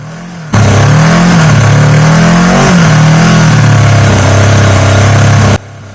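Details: Yamaha XJ750 four-cylinder motorcycle, revs held to move off idle jet onto main jet: flat, uneven rise and sag; only cylinders three and four firing.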